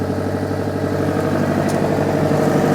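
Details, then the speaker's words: Mitsubishi Pajero Junior 1100cc 16-valve ECI-Multi, automatic, scrapyard car started on jump pack: smooth small four-cylinder idle with a fast, even puffing chatter; exhaust leak, possibly at the downpipe. "that is running beautifully. Oh yeah, that might even be on the downpipe by the sound of it."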